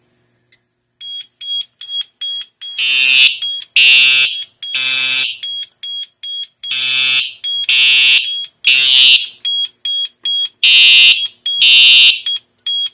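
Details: Autocall Foundation Series 2050fs fire alarm panel, test after pulling a pull station: loud high-pitched electronic tones in long and short pulse bursts about once a second. The notification horns sound properly.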